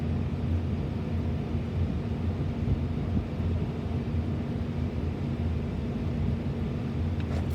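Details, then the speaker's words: HVAC unit during preventive maintenance, air conditioning called on: even low rumble with steady airy whoosh from running condenser fan and compressor, no knocks or rattles; compressor at 5.8 A low load. Normal running. "You can see that our condenser fan's running. We could hear that our compressor turned on."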